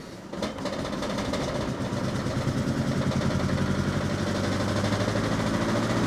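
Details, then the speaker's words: 1984 Opel Ascona 1.6S (90 hp), after the fuel pump was reinstalled: catches, then idles lumpy with an uneven stumble. Owner calls it an ignition misfire, not fuel, and checks the ignition coils/leads. "they got misfire I don't think that's fuel related that's definitely a misfire it's definitely a misfire"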